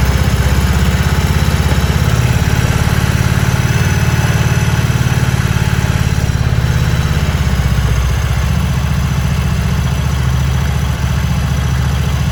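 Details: Harley-Davidson Sportster after four months of cold-weather storage, started easily with a battery jump starter kit; deep, lumpy, steady potato-potato beat settling slightly lower after eight seconds; healthy, even idle.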